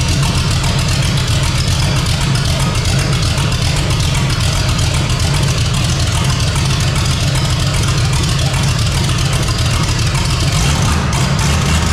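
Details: 454 big-block V8 in a Civic, first run on temporary systems, new out-of-box carburetor: deep, steady low rumble, even idle, no knocks or stumbles; normal idle.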